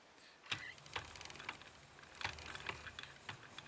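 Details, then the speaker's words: Triumph/Royal Enfield 'Trifield' 500 trials bike in second gear with the chain guard removed: sharp, uneven clacks about every half second from inside the gearbox; engagement dogs almost touching are suspected, not confirmed. "and you can hear that that's that's what I'm getting when I'm riding it along in gear that's backwards or forwards it's coming from the gear box"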